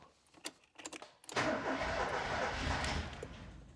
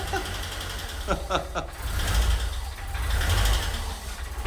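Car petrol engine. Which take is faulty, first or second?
first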